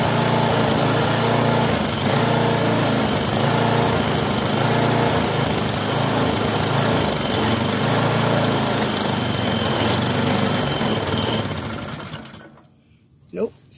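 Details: Bluebird belt-driven aerator bought not running, fresh gas in the tank: the small engine buzzes briefly at high speed, slightly uneven, then fades and dies. Clogged carburetor, later cleaned out.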